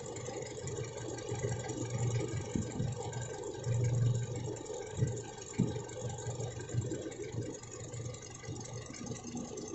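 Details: Toyota Innova petrol engine, type 1TR, idling with a low, uneven hum and occasional irregular thumps, consistent with a misfire; cause not confirmed.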